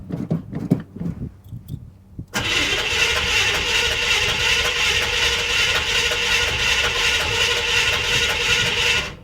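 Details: Cold start cranking of the new GM crate engine for a 1978 square-body Suburban (carbureted V8, three pumps of the pedal): a few scattered bumps, then steady high-whirr starter cranking with no catch yet; normal cold cranking before installation.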